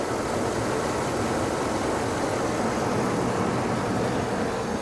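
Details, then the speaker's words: Used car at an insurance auction with the alternator charging: steady, even hum with no knocks, ticks or whine, level throughout; a quiet, healthy idle. "alternators charging listen to that engine nice and quiet"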